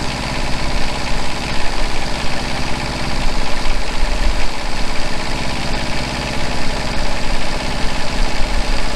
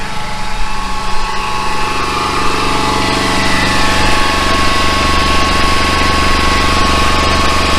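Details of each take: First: Truck-mounted generator after new generator head and smaller pulley, head at 3600 rpm and engine about 1950 rpm: steady, even drone, quieter, with the earlier high-pitched squeal gone; runs smoothly. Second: Flatbed truck generator running before its generator head is replaced; head should turn about 3,600 rpm: a steady high whine over the low engine rumble, started about a month ago, from the generator head.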